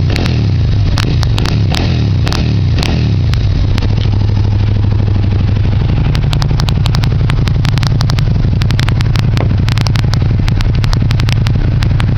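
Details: Suzuki Gladius with Two Brothers exhaust: loud throaty idle and revs with sharp irregular pops and snaps, especially after revs drop; exhaust crackling, cause unknown to owner.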